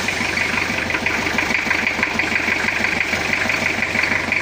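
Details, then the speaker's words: Toyota Kijang diesel just started after cracked-block repair near the oil gallery and fresh coolant fill; steady idle with light, even cold clatter, attributed to condensation in cylinders when cold; normal cold-start diesel clatter. "untuk baru Hidup E lumrah kalau ada sedikit kemelataknya soalnya karena di dalam piston itu masih ada embun"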